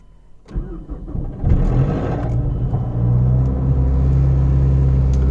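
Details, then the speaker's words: Gen 1 Mazdaspeed 3 cold start: brief metallic rattle of about half to one and a half seconds as it fires, then steady idle; owner suspects timing chain or VVT rattle, not confirmed. "okay this is a video of the car starting up there's a slight um like one one and a half second uh sound it looks like a rattling or like a chain rattling but that's what i think i'm not sure"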